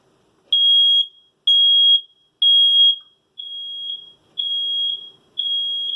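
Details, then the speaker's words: Two interconnected smoke alarms sounding together, one in the living room, six shrill half-second beeps about once a second, the last three softer from the linked alarm; normal interconnected operation, heard while replacing the 9-volt battery. "you hear that the other smoke alarm is making a sound as well it means this is my smoke alarm and the other smoke alarm right there in the living room it's connected they communicate to each other that's how it's supposed to"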